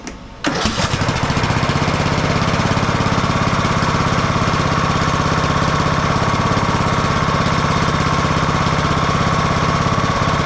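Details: Husqvarna YTH18542 riding mower, 18.5hp Briggs & Stratton Intek single cylinder, which died during use; started after oil top-up: brief crank, then a fast, even, steady chug, running healthy.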